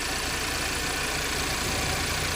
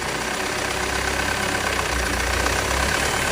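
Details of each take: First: Audi EA888 petrol engine normal idle for comparison with a clanging one caused by intake camshaft and timing adjuster wear: smooth even low hum with no knocking or clatter. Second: Audi EA888 petrol engine at idle: metallic clanging clatter from the top of the cylinder head, about four knocks a second, attributed to intake camshaft wear at the front timing adjuster with excess play; no metal shavings found, wear not severe.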